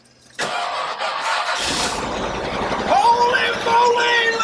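Starter spins briefly and the engine catches on the first crank, settling into a steady, even run; starts cleanly.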